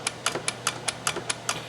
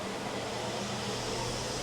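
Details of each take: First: Quantum 4Front power chair drive motor: sharp metallic clicks about five per second, suspected play in the brake-to-output-shaft coupling (keyed shaft with nut and circlip, the type known to rattle); cause suspected, not confirmed. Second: Quantum 4Front power wheelchair after repair and left/right sensor calibration: steady low motor hum with even whir at maximum speed, no grinding or stutter; drive working normally.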